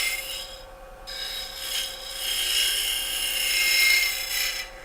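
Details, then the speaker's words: Lathe hollowing of a wooden ornament, scraping the top inside surface: even rasping scrape turning brighter and more ringing as the cut goes on, the noise indicating the wall is getting thin. "can you tell the noise it's making you he you hear can you tell it's thinner yeah it's making a a surreal noise"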